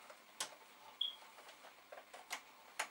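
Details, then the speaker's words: Amiga 500 floppy disk drive: sharp, irregular clicks, about five in three seconds, in a quiet room; drive seeking noisily and working, cause unclear. "all right it's doing its thing just drive is making noises"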